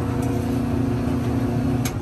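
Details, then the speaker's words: Clothes dryer whose drum wouldn't turn though motors ran, after repair and door switch check; steady low motor hum with drum turning evenly, no scraping, squeal or thumping: running normally. "all right so now that it's working everything is good all right this motor is working"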